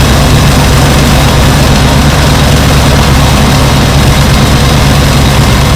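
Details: 1966 Ford Thunderbird barn-find V8, first start after replacing three bent pushrods, fuel pump, plugs, wires, cap, rotor and hoses: steady, loud low rumble with an even beat, no knocks or misses; normal running.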